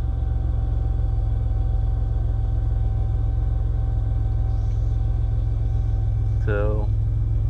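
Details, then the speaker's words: 2001 Chevy Impala during fuel sending unit replacement, full tank: engine still running after earlier rough idle from air in the fuel line; low, even rumble with no stumbles or misses. Normal idle. "fact the engine's still running that's a great sign"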